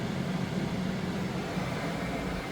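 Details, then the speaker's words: Coyote-swapped Datsun 240Z, first start-up function test, HVAC blower controlled from the dash touchscreen with no dash vents fitted: steady, even rush of air with a smooth low hum getting faster, no ticking or scraping; blower running normally. "I'm just kind of messing with this HVAC and it sounds like it's working here. Get faster and faster."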